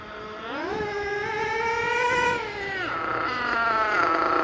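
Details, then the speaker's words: Thunder Tiger EB4 S2 nitro RC car with aftermarket exhaust, started in cold weather and warming up: high buzzing engine revving up and down, burbly and uneven at the top; owner suspects it is running slightly rich and needs tuning. "I think it's running a little bit rich at the moment, so we'll adjust that."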